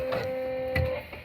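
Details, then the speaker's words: TV switched off but plugged in, heard on a radio at 162 kHz low-frequency band: steady mid-pitched hum over quiet background; RF interference buzz from TV on standby, stops when unplugged. "this is my tv it's off it's there's nothing everything is off on the tv it's plugged in but it's off and that's how much noise it makes when it's off"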